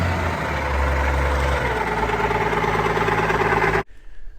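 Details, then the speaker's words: Allis Chalmers 190XT diesel tractor being revived, leaking hydraulic lines: steady high whine over an even diesel idle, holding pitch; owner pretty sure it is the alternator. "And then that annoying sound you guys keep hearing, I'm pretty sure is the alternator"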